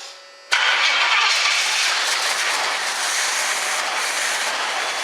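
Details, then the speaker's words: 1976 Pontiac Firebird Formula, long-sitting engine: fires straight away and holds a steady, even run with no ticking from the top end; sounds healthy, fuel pump pumping, fuel line leaking. "sounded good it's pumping fuel"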